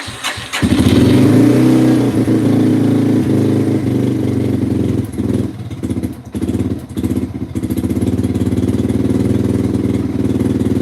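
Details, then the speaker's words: 2005-2009 Yamaha TTR-230 single-cylinder with choke on, idle raised and pilot mixture screw being adjusted; catches and runs unevenly with a soft breathy huff each beat and a wandering idle. Owner suspects lean running, doubts a manifold air leak. "hm still it sounds like it's it's a huffing it's usually a sign that it's running too lean which is weird I wonder why i''d be running too lean"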